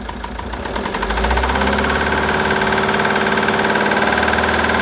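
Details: 2013 Citroën Jumper II (Type 250), 2198 cc 96 kW diesel, engine code 4HH, 294,000 km, with bearing damage and a defective cooling system. A regular hard knock about four a second above the diesel idle clatter; bearing knock.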